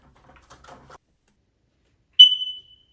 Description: Is your smoke detector chirping, driving you crazy?